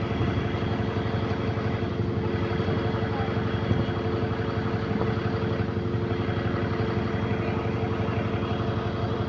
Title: GAL E210 Exhaust Leak